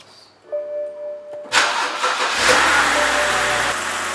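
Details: BMW 328i after new spark plug and ignition coil for misfire code P0306: starter cranks briefly, engine catches and settles into an even, steady idle with no stumble; misfire resolved.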